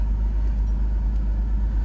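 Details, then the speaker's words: 2001 BMW 330Ci E46 5-speed, an auction car, on first start: a low, smooth rumble holding an even pitch with no knocks or stumbles. Normal idle. "I can't believe this thing. It's still a pile, but it runs."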